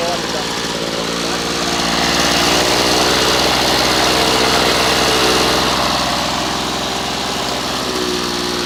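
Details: Old Victa Impulse Start Utility two-stroke mower, as found, running and mowing: a steady, buzzy run with no misses or hunting and even pitch throughout. Sounds healthy.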